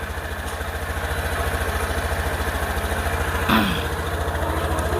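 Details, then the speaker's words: Honda New Scoopy scooter started cold just after an ECU remap flashed with TunerPro: settles into a steady, even putter about three beats a second with no hunting or misfire. Normal cold idle. "Coba kita hidupkan motornya dingin"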